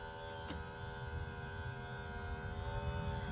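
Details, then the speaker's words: Tamiya Super Stock BZ brushed motor from a Porsche 959 RC car, run on 3 volts after cleaning to seat the brushes; still needs a slight jump start, then a thin steady high whine with faint buzz over low hum, spinning evenly. "So, let's just see what it does now. It wants to give it a bit of a jump start and away she goes. You can probably hear it"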